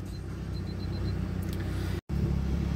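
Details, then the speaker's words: Car at 87,619 miles, no engine warning lights, idling smoothly and evenly with no knocks or misses; normal idle. "87 619 miles thank you no lights on the engine at all idles nicely came with half a tank"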